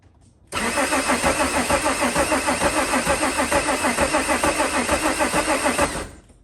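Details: Mk2 Jetta with VR6 swap, first start attempt: steady starter cranking at about three pulses a second for five seconds without a single catch; cranks but won't fire because the injectors are not delivering fuel.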